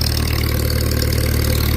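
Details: Old Farmall tractor with upgraded double-vent fuel cap at a pre-auction preview: low, even idle with a steady beat, no misses, stumbles or knocks; sounds healthy.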